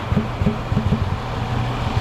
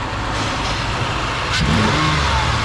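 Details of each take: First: 300k-mile Ford Escape 3.0 V6 after replacing a torn hose, running terribly: uneven lumpy idle with sharp pops through the intake about three to four times a second; internal cause suspected, not confirmed. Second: 2008 Ford Escape 3.0 V6, about 300k miles, after repair; two clean revs rising and falling smoothly back to even idle, no misfire stumble, cylinder contribution fault gone: running well.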